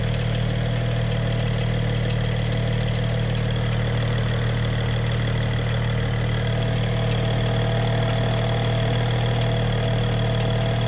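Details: 2011 BMW E90 335xi idling after throttle body vent valve, breather line and VANOS system replacement: steady idle with a quick, even tick about four times a second over the engine; clicking persists, cause not pinned down.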